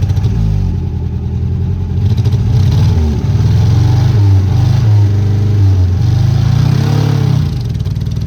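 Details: Peugeot 403 pickup revived after sitting abandoned over 20 years: loud, uneven, lumpy running with a stumbling beat under revs; engine missing, running on three cylinders.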